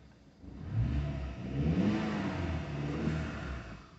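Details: BMW 116i petrol just restarted after 1.5 years parked, with codes cleared and fuel rail pressure released, camshaft/crankshaft correlation faults present: revs rise and hang unevenly, stumbling with a jumpy misfire-like roughness; cause suspected, not confirmed.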